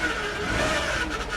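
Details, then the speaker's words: Salvage-auction vehicle with about 250,000 miles, first start with a likely dead battery: a steady high whine sits over the idling engine without letting up. The power steering pump is whining, noisy and complaining. "She's not happy. Power steering is making horrible noises. Yeah, power steering is pissed."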